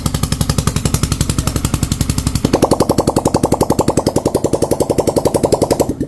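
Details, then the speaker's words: Yamaha TFX after cylinder block repair, first start: even steady thumping at about four beats a second, no knock or rattle, quiet; clean healthy idle. Block failure blamed on oil problem. "Yun, mandar na mga bossing, tahimik na."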